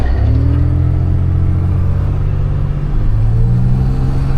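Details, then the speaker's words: 2011 Chevrolet Impala 3.5L V6 on a test drive: a heavy, throaty engine drone fills the cabin while pulling away, from an exhaust leak the customer located under the driver's seat. "Yeah, I hear the exhaust leak for sure."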